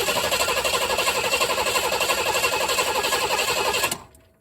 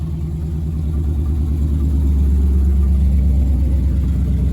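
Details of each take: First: V8-swapped Chevy S10 built about 11 years ago and stored, after a used replacement fuel pump and premium gas; spark and fuel flow are confirmed. Even cranking about four times a second that never fires; the injectors need about 55 psi. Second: Chevy S10 with V8 swap built about 11 years ago, parked in storage after fuel pump died; now runs on old gas with a Silverado pump fitted. Deep V8 rumble at idle, picking up with throttle, firing even and steady; normal running.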